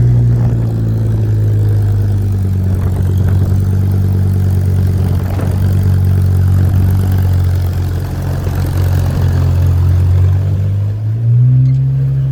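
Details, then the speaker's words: 1965 Ford C850 truck with added automatic and overdrive, cold after sitting about a week: loud, steady low drone on fast warm-up idle, even and smooth with a brief dip near the end; normal cold-start warm-up idle. "It's loud when it fires up and goes through the warm-up cycle. It rigidens it up, obviously, because it's cold."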